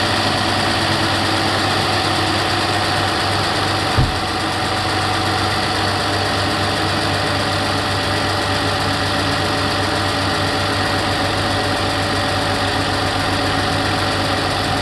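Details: 2008 Toyota RAV4 V6 after a cold start: steady idle with a faint, even tick on top that slowly grows louder; source not yet identified.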